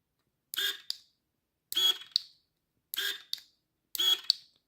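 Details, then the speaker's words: Fuji SL Limited road bike, new Shimano Ultegra Di2 12-speed, left wireless shifter testing front derailleur: four crisp short motor whirs each ending in a click, evenly spaced; front shifting works properly. "So that works as well. So our Di2 is basically set up."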